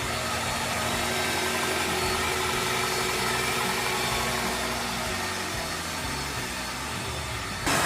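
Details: 2009 Mitsubishi Outlander after repair of a crackling engine noise (bearing/belt-side parts serviced), before the AC gas recharge. Smooth, even idle hum with a steady airy hiss and no knocks, squeals or belt chirp; engine runs healthy.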